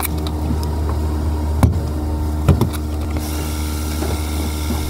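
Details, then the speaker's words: 2016 Hyundai Porter 2 manual diesel truck, 30,000 km, engine bay idle: low, even diesel idle with no timing chain rattle or metallic slap, only a couple of light clicks; smooth, healthy engine. "이 포터 같은 경우에는 이 체인이 늘어났을 때 이제 체인 쪽에서 나는 소리가 굉장히 듣기 싫습니다. 철길이 부딪히는 소리가 나죠. 그런 거 하나도 없이 굉장히 엔진 소리 너무나 부드럽고 좋습니다."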